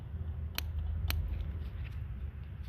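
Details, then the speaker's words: Renault R5 (Le Car) with new points: coil wire held near ground while rotating the distributor gives two sharp snapping sparks about half a second apart; spark present, though owner suspects bad plug wires. "Yeah, I think the wires are bad, but we got some sparkage. That's good."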